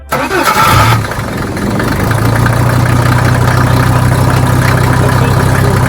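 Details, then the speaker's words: Mercedes OM617 diesel in a Jeep after lift pump rebuild and replacing rotten primer pump, glow plugs used, not run in months: brief crank, catches and settles into steady even idle with usual clatter, smoother than before. "Oh, that's great. I haven't heard that sound in months. I missed it. Man, it's idling smoother and everything."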